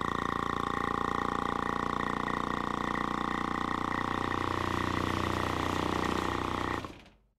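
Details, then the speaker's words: Piston-style vacuum pump on a display, drawing toward 22 inches of vacuum slowly; loud, steady buzzing drone with a fast pulse that stops abruptly, vibrating the whole display, normal but noisy operation. "you can see it vibrated our whole display and it took a little while to get up to 22 inches of vacuum"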